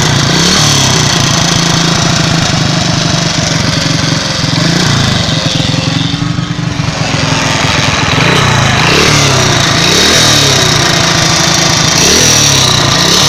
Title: Помогите стук в двигателе